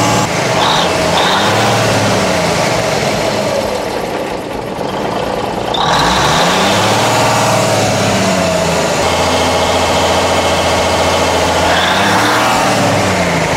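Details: 1981 GMC cabover with Big Cam diesel: catches and runs, rising and falling in pitch as the throttle is worked, then holds an even beat; runs well after a loose wire to the pump was reconnected.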